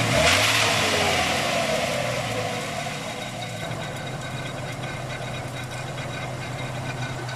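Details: 1995 Ford Ranger 2.3: a harsh, rasping grind over the engine as it revs, settling to a rough, gritty idle. The source is not identified.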